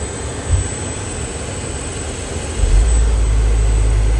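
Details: 2022 GMC Sierra 1500 (T1XX): steady blower rush with a loud, thin, high-pitched whistle from the HVAC case as blower speed goes 6, 7, 8. HVAC mode doesn't change it, but the temp setting does; cause undetermined.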